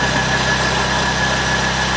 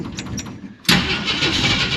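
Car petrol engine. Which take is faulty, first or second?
second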